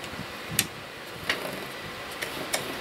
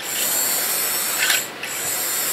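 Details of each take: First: Used 00 gauge model locomotive running on track: faint motor hum with sharp, irregular ticks once or twice a second as the wheel flanges hit the sleepers; loco also has a short. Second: Used vintage 00 gauge model locomotive (the "100 year celebration" loco) from an untested job lot, on Hornby track: even high-pitched motor buzz with light track chatter, steady apart from one brief dip; normal smooth running.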